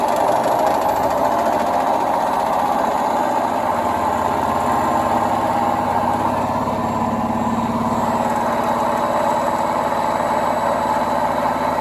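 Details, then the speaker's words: Indesit WIDXL126S washer-dryer motor on a variac: spins up to a smooth, steady whirring hum with brushy hiss, turning freely after brushes were adjusted; sticky brushes suspected as earlier fault. "hopefully if i bring the power up it's turning fine it must have been just sticky brushes somehow"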